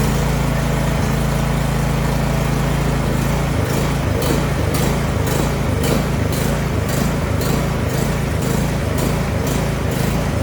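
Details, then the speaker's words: Briggs & Stratton 1022E single-stage snowblower that starts and runs but surges: the single-cylinder engine keeps hunting, its speed rising and falling in an uneven rhythm; surging traced to the carburetor, fixed by cleaning it. "So that tells me that something is going on in the carburetor. So we're gonna pull the carburetor off and clean it and put it back together."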